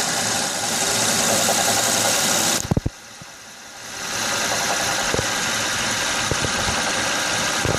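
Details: 2006 Honda Odyssey V6 at idle with a steady, quick knocking beat under the hum. It persists after replacing the water pump, timing belt, tensioner, pulleys and power steering pump; the cause is still unknown.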